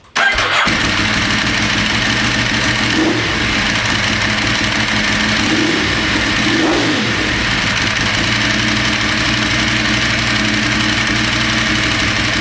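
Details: Ducati 916 fitted with a 1098 engine, RS-inspired build just finished, restarted to bring it up to temperature: fires straight up and settles into a steady, even V-twin idle with no knocks or rattles; healthy start while warming.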